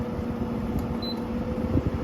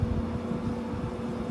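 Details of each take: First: GE 6000 BTU window air conditioner on high fan speed: constant airy rush with a faint steady high-pitched tone, no rattles or grinding. Indoor fan is quite noisy; loud fan noise on high. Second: GE AHTE06AAQ1 6000 BTU window air conditioner, Quingan compressor: a smooth, low, steady hum with a clean tone and no high-pitched whine or rattle. It is arguably the best-sounding compressor of the modern units compared; normal compressor hum.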